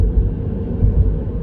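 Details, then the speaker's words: 2022 Mini Cooper SE fully electric, snow tyres after three months' ownership: low, steady tyre roar on the road with no engine noise to mask it; loud but normal winter tyre road noise, unnoticed in the previous petrol car. "Now, we never noticed this in the last car, and all I can put that down to is the fact that the last car had a petrol engine and this has got electric. Therefore, the noise from the petrol engine was drowning out any road noise from the snow tyres."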